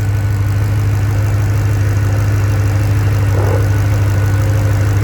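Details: Land Rover P38 Range Rover V8 idling on LPG after changeover, system long unused: deep steady low hum, even idle, no misses or stumbles, distinct gas-injector clicking; faint gas smell noticed.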